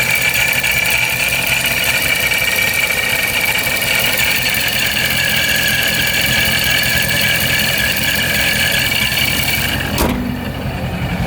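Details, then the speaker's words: Procharger-supercharged Scat Pack V8 idling after the shop (Serious HP) revised the tune, now running perfectly with no check engine light; smooth even idle with steady high supercharger whine and no stumble, normal supercharged idle. "so I think whatever changes they made did the did the trick and it's uh it's fixed best best I can tell it's fixed so it makes me really happy"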